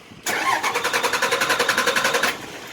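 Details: 2006 Dodge Ram 3500 5.9L Cummins common-rail, manual, mileage 127, swapped engine, no fuel pressure from a failed rail pressure sensor; after a known-good sensor was fitted, a quick even starter churn for two seconds, then it fires and runs steadily.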